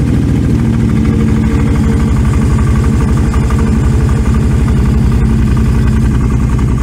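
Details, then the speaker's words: Cheap used four-wheeler after a choke repair: a loud, steady, low-pitched exhaust thump with even firing and no misses. It idles smoothly with a noisy open exhaust; a separate clutch fault makes it creep forward. "It starts and runs pretty good. As you can probably hear from the microphone, it's got a bit of an exhaust on it, which, okay, I guess."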